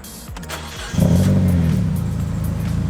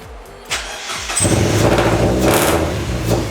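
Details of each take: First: Mazda Miata started after eight months sitting and a new fuel filter; brief cranking, catches in about a second, settles into a loud but even idle with no misses; normal start and idle. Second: Mazda Miata after sitting eight months, after replacing a connector: short crank, then lumpy uneven running with a wavering idle that never settles; owners suspect idle control, possibly old gas; rough running after start.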